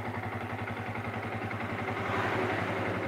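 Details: Yamaha Vixion motorcycle test-run after valve adjustment and reassembly, exhaust still wet: even single-cylinder idle, steady low chuffing at a constant beat with no knocks or misses; engine idling smoothly.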